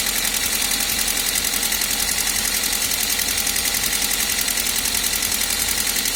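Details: Toyota 1ZZ engine at idle: fast, even light ticking about two or three taps a second high over the engine, valve train tapping, sounding like loose valve clearance.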